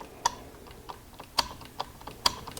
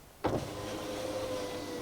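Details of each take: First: Honda Odyssey power window diagnosis: with the ground on the white/green wire from the master switch to the power window relay disconnected, only sharp switch or relay clicks are heard and no motor runs. Power window relay not grounded by master switch. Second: Honda Odyssey passenger power window, key on, after replacing the defective master switch: sharp click then a smooth, steady motor hum as the glass travels; working normally.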